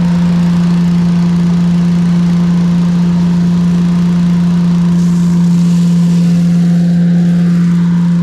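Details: Briggs & Stratton engine on Agri Fab Mow & Vac leaf vacuum, said to need a new engine, after leakdown test and carburetor and fuel system work, hose attached: steady drone with even fan rush, no surging or rattles. Healthy running.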